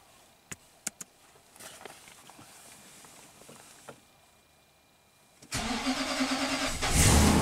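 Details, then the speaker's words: 2009 Nissan Titan V8, 130k miles, cranks but won't start when cold after a limp-home incident and battery replacement: quiet clicks and a pause, then it catches suddenly into a rough idle; injector pulse missing at first, ECM suspected (probably a cracked solder joint). "once it starts pulsing then we're in good shape but we're missing the injector pulse initially so this case i am suspecting the ecm itself especially when it's cold probably a cracked solder joint"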